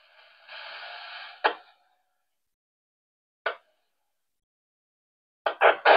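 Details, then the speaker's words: Rattel RT880 handheld radio on UHF 70 cm band, quiet receive: short sharp clicks in the audio about every two seconds, caused by the RSSI S-meter refresh, here lengthened from 500 ms to 2 s; disabling the refresh removes the clicking. "Występuje to tylko na paśmie UHFU, czyli na 70 i właśnie co 500 milsekund odświeżany jest wskaźnik gazmetra i to to powoduje nanoszenie się tego wrednego klikania."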